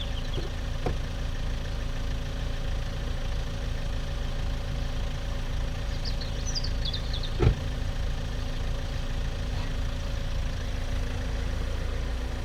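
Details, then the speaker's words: Opel Vectra B petrol engine after long storage: steady, even idle with a low drone and only the odd stray tap, running fine, though a gearbox noise is noted separately; normal idle. "and I think we can safely say there think we can safely saying that it's running fine"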